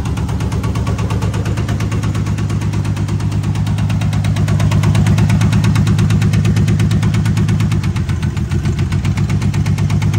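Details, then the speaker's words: 1978 AMC Hornet at idle: heavy, lumpy running with a steady thumping pulse about three times a second and a shake. Cylinders one and two are misfiring. "yep yeah something something is off number one and a number two cylinder got issues"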